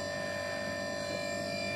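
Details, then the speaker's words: Brushless motor with propeller load on AM32 firmware 1.83 RPM speed-control PID mode: steady piercing high tone dead even, no wobble or roughness; running smoothly at held speed. "a motor and propeller just to give it a bit of load and so if i change the voltage the rpm stays the same"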